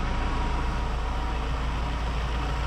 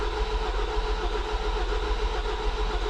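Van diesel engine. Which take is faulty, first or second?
second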